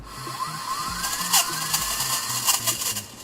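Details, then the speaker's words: Amway eSpring water filter flow sensor tested by blowing air into the thin outlet tube: light whirring rising and falling with faint ticks, so the drum spins freely; no sound would mean a faulty holder needing replacement. "Ви повинні почути шум від обертання барабанчика якщо ми не чуємо ніякого звуку це свідчить про те що виникла проблема з тримачем"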